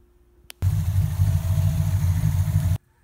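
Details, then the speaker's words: Ford Mustang pushrod Windsor V8 after reinstalling missing oil plug, timing chain and cover: starts quickly, settles into smooth even burble, no lifter ticking; oil now reaching number five exhaust lifter. "let's see if it fires up and hopefully we have no leaks"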